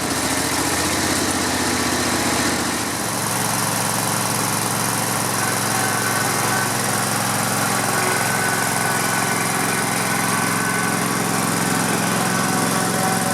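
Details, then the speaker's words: Grasshopper zero-turn mower, 16 hp V-twin Vanguard, after no-spark repair: steady even buzz with no miss, knock or surge, smooth normal idle. Fogging oil in the cylinders is burning off. "Boy, that's a smooth running engine. Like I said, I put fogging oil, and you saw me, in the cylinders."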